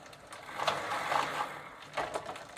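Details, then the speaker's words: 1990 Gazelle bicycle with a Sturmey Archer three-speed internal hub, cleaned, regreased and treated with WD40, shifter in third: light fast clicking bursts from the hub pawls while pedalling, pedalling slightly heavier. "And now I'm moving to the third gear position. And now I can hear some of the palls making a clicking sound."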